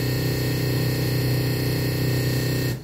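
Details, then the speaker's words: Digital-to-analog (Toslink optical to analog) audio converter on a Samsung smart TV: playing a movie gives only a loud constant buzzing hiss with a fixed low drone and no programme sound, while video songs play fine. Static noise instead of audio. "শুনতে পাচ্ছেন সাউন্ডটা, এরকম একটা sound আসতেছে। আমি কোনো video on করতে গেলে, বাট যখন আমি এটা ভিডিও সং শুনতেছি তখন কিন্তু সাউন্ডটা আসতেছে না, সংটা ভালোভাবে শোনা যাচ্ছে।"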